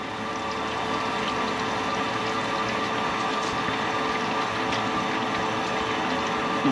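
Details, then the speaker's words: Old 155lph fuel pump from a 347ci Foxbody Mustang, powered to drain the tank before upgrade: smooth constant hum with faint steady tones under liquid flow, no whine or stutter; quieter, works normally. "sounds a lot quieter right if anybody wants to buy 155 liter per hour fuel pump it works"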